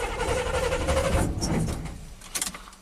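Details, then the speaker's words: 1987 GMC Sierra V8 plow truck with throttle body injection: it fires and idles but runs rough and stalls within a second or two of throttle, as if starving for fuel. "Well, when it was running and you gave it some throttle, it was really like bah, bah, bah, you know, almost like it was running out of fuel."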